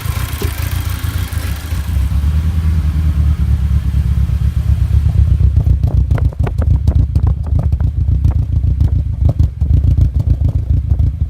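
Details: Audi A4 B7 with new coil packs and Bosch spark plugs: lumpy uneven idle, then a rev with rough rhythmic clatter; misfire traced to a hole in cylinder 1 piston, engine done.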